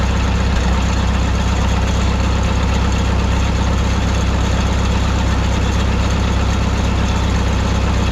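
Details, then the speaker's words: 1951 Farmall M tractor, four-cylinder, just after switching from Champion D21 to Autolite 316 spark plugs (cylinder 3's plug was sooty): fairly even idle, only the odd faint pop. Big improvement, occasional misfire remains. "we are getting still an occasional just little bit of a a pop here and there but I think I'm getting overly critical now these old tractors you know do that uh a little bit"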